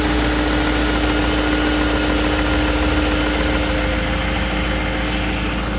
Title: 2001 BMW 740 iL Cold Start Engine Rattle